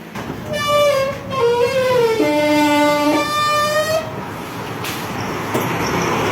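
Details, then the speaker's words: Roller shutter door the customer complained was very noisy, heard before repair. Loud scraping screech with a shifting whine and sliding pitch steps through the door's travel; harsh, noisy operation, cause not stated. "ඒ දොරේ සෑහෙන සද්ද වැඩි කියලා තමයි customer කිව්වේ. ඉතින් අපි ගිහිල්ලා බලනකොටත් ඉතින් ඇත්තටම හෙන සද්දයක් එනවා."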